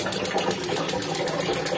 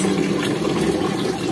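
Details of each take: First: Instant gas geyser in winter: rapid steady ticking about eight per second with no burner roar, igniter clicking but burner not lighting; the first cause to check is weak batteries, which cannot open the gas valve; fix is replacing the batteries. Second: Instant gas geyser after replacing weak batteries: water valve opened, a tick, then the burner lights; steady soft roar with water rushing and no repeated ticking; the magnetic valve now opens and the burner runs normally.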